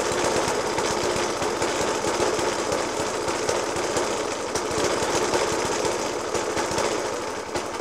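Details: 1991-era Suffolk Punch 30S mower with a Dell'Orto FCH 20 carb idles roughly with a hard, uneven hammering clatter throughout, still banging after new spark plug, decoke and carb clean.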